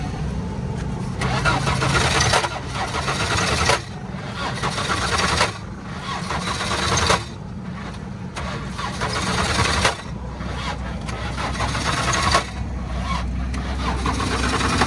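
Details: 1990s Volkswagen LT 28 camper bus, about 1,000,000 km, original engine, in Nigeria; catches and settles into a strong, steady run with no knocks or misses. Normal engine start.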